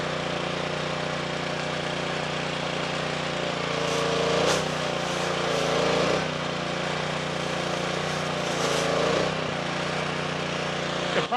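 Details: Simpson pressure washer, Honda GCV170 engine, after pump replacement, test run: steady even drone with a few mild surges as air clears from the line; pump and engine sound healthy.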